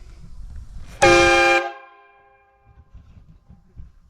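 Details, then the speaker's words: Kenworth W900 truck, newly installed train horns replacing weak original air horns, run off onboard air via a 12V electric pull switch and solenoid: one loud, steady, multi-note blast, full and clean; the horn works normally. "That'll get your attention."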